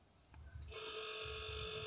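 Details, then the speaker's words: Non-inverter relay-start compressor in a two-door LG side-by-side fridge that was not cooling, after replacing the 5 µF running capacitor: quiet hum turns into a steady ringing drone with low, falling amperage. Normal compressor running. "like the compressor is on, when the compressor is on, it usually sounds like a ringing sound and it looks like the amperage is low."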